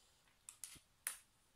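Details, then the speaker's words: External hard drive, 1.5–2 TB, stopped working after being dropped: sharp dry clacks while spinning, quiet background; failing drive clicking. "well there it is spinning it makes the clack clack"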